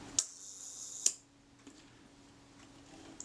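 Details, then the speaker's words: Kodak Retina IIIc shutter during service, set to one second before checking on a speed tester: two crisp clicks just under a second apart, opening then closing; normal one-second speed timing. "what's one second run like"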